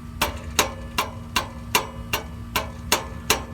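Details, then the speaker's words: 1998 Chevy Silverado 1500 with P0420 catalyst code: nine sharp metallic taps and a tinny rattle from a loose exhaust joint where the pipe meets the manifold, near the bank 1 sensor 1 O2 sensor; rattle also heard when shifting gears. "you hear that noise there's my exhaust leak now what that does is that impacts the pipe and if there's any looseness in there or slop as you want to call it it will uh it will make a noise it'll rattle so it's an annoying Rattle"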